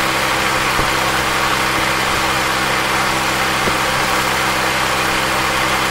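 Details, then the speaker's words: 26-year-old car radiator electric cooling fan, formerly noisy and overheating from worn bearing, after motor disassembly and bearing service, engine idling: smooth steady whoosh of airflow, no grinding or rattle; fan running cleanly after repair. "This 26y old cooling fan has been saved."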